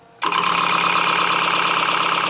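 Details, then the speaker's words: Wood lathe at low speed turning shop-made plywood Cole jaws: fast, even clicking over a steady motor whir, caused by the uneven plywood pieces tapping each revolution. "that clicking is the unevenness of our pieces of plywood so there are circles now"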